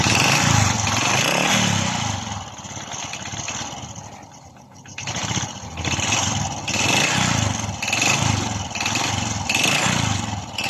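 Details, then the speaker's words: Honda RS 125 Fi single-cylinder engine after rebore and reassembly, air cleaner and exhaust refitted: crisp putter rising and falling cleanly with throttle blips, no slap or knock; sounds like new, earlier noise confirmed as piston slap. "Oh my god Wow balik na sa brand new ang kanyang tunog"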